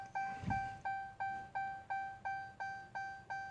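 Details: 2015 Chrysler 200S push-button start that won't start, with brake pressed; key fob battery already replaced. Clean single-tone chime repeating about three times a second. Warning chime, cause unknown.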